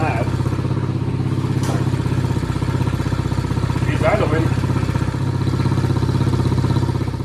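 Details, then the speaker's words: Chinese 50cc ATV left outside for years, running on a newly fitted carburetor. The small single-cylinder putters at a steady, even idle of about four beats a second with no misses, idling nicely. "She's idling nicely. Sounds good."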